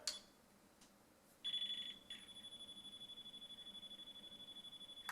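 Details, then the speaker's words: Newly installed hardwired smoke detector tested on battery backup: a shrill beep, then a fast, even pulse train. It triggered the other still-installed alarms through the red interconnect wire; this is a normal interconnected alarm test. "And you can hear it setting off the other ones that are still installed."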